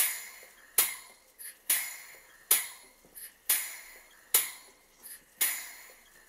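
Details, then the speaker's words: Model 12-inch Southworth steam pump with burner gas turned off so only the engine is heard: sharp metallic ticks just over once a second, evenly spaced, shuttle working normally. "I've turned off the gas so you can hear the engine without the rod of the burner."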